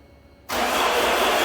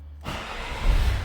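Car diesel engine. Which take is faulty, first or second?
first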